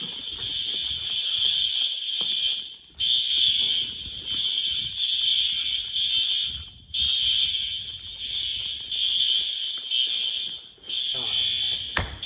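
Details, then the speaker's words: School fire alarm system before repair, sync output lost so NAC booster and 9 of the NAC circuits lost: piercing alarm tone pulsing in ragged, overlapping bursts about every two seconds; horns out of sync. "With all that said, let's take a look at what the synchronization sounded like before we got it fixed."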